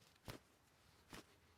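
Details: Toyota Camry new belt tensioner pulley, spun by hand, stays nearly silent apart from two brief handling taps, unlike the worn original: a quiet, healthy bearing.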